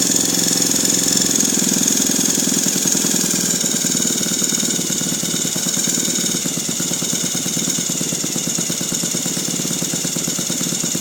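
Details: Saito FG-36 small four-stroke engine buzzing through idle and revs with an uneven rattling edge in its beat; strange abnormal noise, cause unknown.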